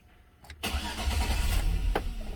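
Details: 2006 Chevy Silverado towed in for no-start after a botched door speaker install. Fuel pump primes at key-on; starter whirs, the engine catches and runs rough for seconds, then dies. Radio and power windows are also dead; cause unknown.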